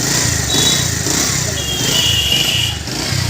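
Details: Bajaj Pulsar single-cylinder running after engine sound problem repair: even, steady beat with no tapping or rattle from the top end; sounds healthy and ready to ride.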